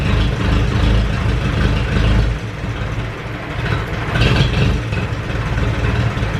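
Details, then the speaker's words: Ferguson 20 petrol/TVO four-cylinder tractor, sat 10–15 years, running indoors with leaking coolant hoses: steady even low chug, no misses or knocks, smooth idle; oil pressure good, running cleanly. "oil pressure looks good she's running quite cleanly right yeah let say she's a runner"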